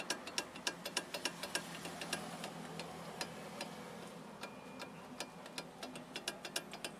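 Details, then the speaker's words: Chery QQ front brake caliper rocked by hand: sharp, uneven metallic clicks about three a second from caliper play, heard as a suspension knock; non-original pads lacking the metal shim between pad and caliper make the knock more likely. "ó tá vendo a folga da pizza e é isso aqui ó ó e faz um barulho enorme"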